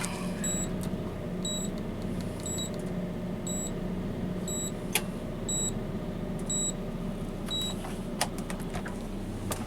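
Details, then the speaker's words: Coronado motorhome refrigerator with replacement control board, switched to AC: short sharp double beeps about once a second over low hum, display reading "no AC" fault; cleared once AC was supplied. "But when it beeps, it says there's a problem. It says no FL. Does that mean no flame? Right. So should we start the generator? See if it runs on AC. Okay. So now no AC."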